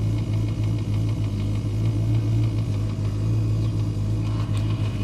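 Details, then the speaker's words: Boat engine running with the system at 14 volts: a light, quick ticking under the bonnet over a steady low idle, keeping pace with engine speed; unsure if electrical or mechanical, seems to come from near the coil. "tapping noise there's a strange tapping noise under the B I don't know if that's electrical or mechanical"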